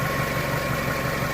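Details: 1998 Toyota Camry, back together after water pump and timing belt replacement: a smooth, even idle with a steady low hum and regular soft pulses, no knocks or ticks. The engine sounds healthy.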